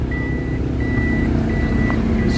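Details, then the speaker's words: Toyota Vitz in reverse after repair of vibration on reverse/drive engagement: even, steady engine hum under the reverse warning beep, no shaking or jerking; the earlier strong jolting is gone and the engine now runs smoothly and quietly in reverse. "Wala nang problema reverse guys. Hindi na nanginginig yung makina. Tahimik na."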